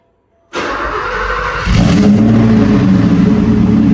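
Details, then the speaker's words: 1988 Porsche 928 S4 V8 started right after an oil and filter change with 8.5 liters, run to circulate oil: catches at once, settles into a strong, even idle with no misses or tapping; healthy start. "All right, we're going to go ahead and crank this thing up and let it run for a little bit. Let the engine oil circulate."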